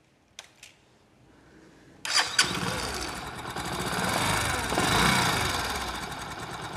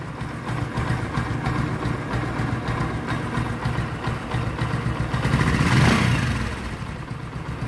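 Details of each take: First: Old Discover 125 motorcycle whose valve, cam and rocker arm were already replaced without curing the noise: starts after a couple of kicks, then a quick light chik-chik tick over idle and revs; valve train ticking from worn valve guides. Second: Old Discover 125 single, after repair that refitted the original cam and rocker arms: revs up and settles with an even beat, no tapping or clatter from the top end; sounds perfect.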